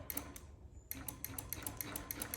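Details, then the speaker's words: Honda Ruckus scooter, key on, start button pressed with brake pulled: rapid even clicking of about seven a second, starter solenoid chattering, no crank; dead battery, or possibly a loose connection. "Hear that solenoid clicking? You hear this noise when you try and start it? That's a dead battery."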